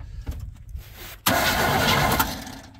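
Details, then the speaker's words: Chevy square body V8 truck parked 19 years, cranking after fitting a better ground cable; brisk even cranking with no screeching, starting system healthy, though no spark was found afterward. "sounds pretty good yeah yeah no funny nasty screeching noises or anything"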